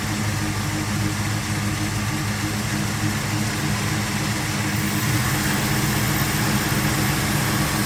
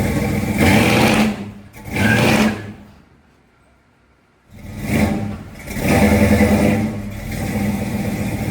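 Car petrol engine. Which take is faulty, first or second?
second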